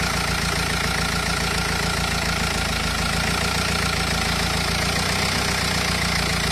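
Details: Renault Espace 2.0 dCi diesel idling with a rough, busy clatter and a faint tick about three to four per second; abnormal engine noise, cause unclear.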